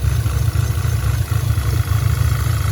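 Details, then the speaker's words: 2010 Audi A5 Quattro 6-speed, original CAE 2.0T swapped for a 2015 CPM engine, 144,045 miles, first start after reassembly: uneven stumbling idle with lumps about every half second; clear misfire, vacuum leaks being checked, none found yet. "you can hear the engine definitely running with a misfire"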